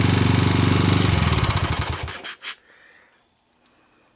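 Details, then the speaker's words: 1999 Honda Fourtrax TRX250X with non-OEM PZ27 Keihin carburetor, portable CDI box for spark, started with starting fluid on cold start; steady rapid tapping about four per second at idle, owner suspects a loose valve and plans readjusting; no smoke. "I'll readjust the valves up on top see if I can get rid of that sound I don't like that sound at all other than that the engine sounded pretty good you know no smoke no bad smells"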